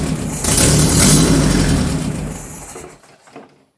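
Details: 1978 G12/612 air-cooled flat-four engine sitting for decades, first fire-up: runs unevenly a couple of seconds then dies; cannot hold idle because the electric idle valve doesn't work.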